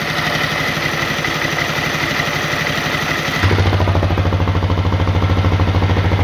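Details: CRF250L single-cylinder at idle: a regular knock about three times a second that sharpens as the note drops; internal engine knock, cause unknown.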